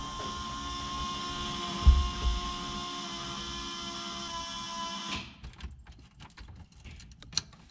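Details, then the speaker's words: Diesel truck at its first start attempt after a Stage 1 build with many new parts: about five seconds of steady starter whir with no firing. Fuel pressure holds at 55 with no leaks, and the expected cause is air still in the fuel system. "Okay, so that was expected because we threw so many new parts in the engine. There's still a lot of air."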